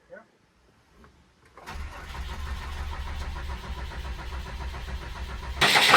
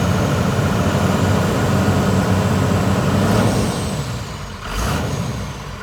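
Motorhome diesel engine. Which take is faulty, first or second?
first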